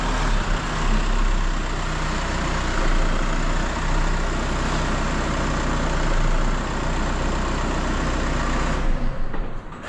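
Deep, even engine hum holds steady for ten seconds with no knocks or misses: a smooth, healthy idle.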